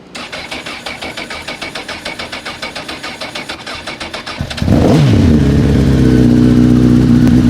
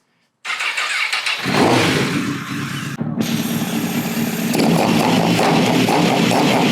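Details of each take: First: First start on its own fuel of a crashed 2006 CBR1000RR with 22,995 mi, after a broken wire was fixed. Starter cranks at about four turns a second, then it catches into a slightly uneven, sputtery idle. Owner suspects water in the tank caused coolant in the oil. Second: Crashed 2006 Honda CBR1000RR with 22,995 mi and a rusty tank, before coolant was added and before a hydrocarbon test: starter whir, engine catches, briefly drops out, then runs steady and crisp with revving. Owner is amazed it runs.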